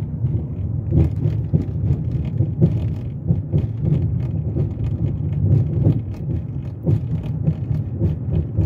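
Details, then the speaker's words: 2006 Chrysler 300 driven half a block: low road rumble with irregular dull thumps over bumps from the front left (driver's side); stabilizer links or sway bar bushings suspected, common on these cars, not confirmed; front suspension clunk. "And I've only driven this thing like half a block and I could hear it clunking away like crazy. I'll let you guys listen."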